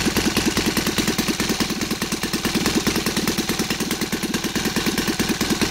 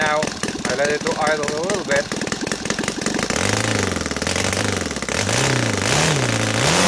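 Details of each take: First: Saito FA270T twin model engine converted to gasoline with CH ignition, 20:1 mix, TF 20x10 prop, idling with a quick, even popping beat at about 1000-1100 rpm; clean, healthy idle. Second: Saito FA270T twin converted to gasoline with CH ignition, 20:1 mix, TF 20x10 prop: pitch swells and dips unevenly after rich idling, then pulls cleanly through the revs as excess fuel burns off.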